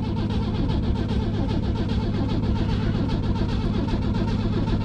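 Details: 1964 Rambler American 440 wagon, 232 inline six, sat 26 years, gas sprayed in carburetor, points not yet cleaned: steady even starter cranking about two beats a second, never catches; crank no start.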